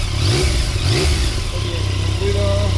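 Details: 2017 Yamaha Tracer 900 CP3 triple, checked for clutch noise and judder: a few quick throttle blips, revs climb and drop cleanly with no rattle or clatter underneath; clutch sounds healthy.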